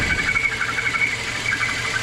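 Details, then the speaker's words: Citroën C4 (Peugeot 2.0 16-valve engine) at idle: steady high whistle seeming to come from the engine; accessory belt removal ruled out alternator/tensioner, traced to the PCV valve inside the intake/valve cover leaking. "Esse aí é o barulhinho do Citroën C4 Palace, do Citroën hatch, do Peugeot 2.0 16 válvulas. Esse barulho aí, um assobio que parece que vem do motor."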